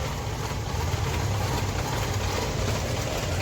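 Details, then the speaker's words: Suzuki SX4 petrol engine after sitting parked three to four months: starts only with long cranking, then a rough, stumbling idle misfire and won't rev. "Petrol पर सिर्फ long cracking करके गाड़ी start हो रहा है फर engine Mising कर रहा है और रेस भी नहीं ले रहा गाड़ी"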